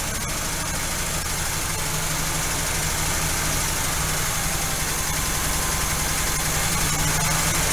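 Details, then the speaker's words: Engine first start after rebuilding the Quadrajet carburetor, with fuel poured down the bowl: fast, steady idle well above normal even with the idle screw backed off, plus a faint light lifter tap that may fix itself after running about 10 minutes. "okay still idling way too high i've got the idle screw backed off and i hear a lifter tapping a little that might fix itself once it runs for a good 10 minutes or so"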